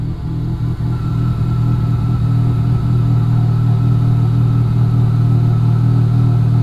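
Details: Civic with a newly installed $40 eBay wheel-well air intake, just fired up after install: steady low idle rumble with a faint airy hiss on top that hisses differently than before, even and settled; normal idle.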